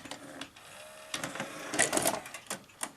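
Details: Sanyo VTC-MH5 NTSC Beta Hi-fi VCR after power supply repair, loading a test tape: light, irregular clicks and short whirring motor runs with no grinding or catching. Normal cassette loading.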